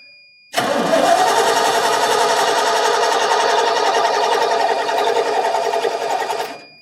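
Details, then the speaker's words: 1989 Ford F150 fuel-injected, 61,000 miles, sat over 20 years, on starting fluid: engine catches and roars unevenly a few seconds then dies. Fires briefly but won't sustain; needs throttle access. "That was definitely a fire that time. Need to be able to pump the gas."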